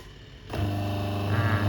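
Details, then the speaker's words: Twin-tub washing machine whose wash tub wouldn't run and spin tub turned slowly, testing the wash motor after capacitor replacement: motor switches on and settles into steady, even low hum, no grinding, knocking or labouring; healthy. "เราทดสอบมอเตอร์กันนะครับว่าใช้ได้ไหม"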